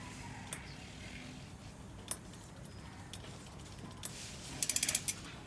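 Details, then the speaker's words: SRAM GX Eagle Lunar bicycle chain while pedalling: a few sharp, uneven clicks then a quick burst of ticks, coming from one bad chain link. "bạn nghe thấy tiếng cọp cọp cọp này đây vào cái mắt xích này nó kêu Cốc Cốc Cốc"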